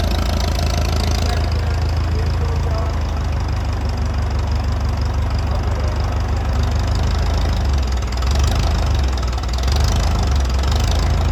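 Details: International Harvester 806 diesel tractor, first start after rebuild: deep, loud chug holding a steady idle with an uneven low knock.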